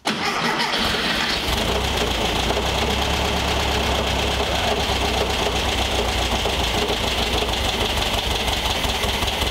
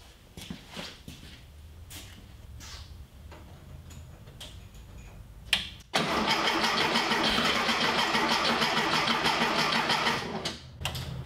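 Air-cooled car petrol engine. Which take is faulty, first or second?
second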